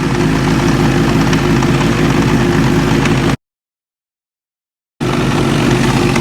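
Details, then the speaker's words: 2005 Suzuki GSXR 1000 idling in neutral after the Brock's Performance clutch mod was reinstalled correctly: a steady popping, slapping knock about four times a second, unchanged with the clutch in or out. Cause not yet found. "Like I said, I'm pretty sure that's gonna be grinding and popping and slapping. I can guarantee it."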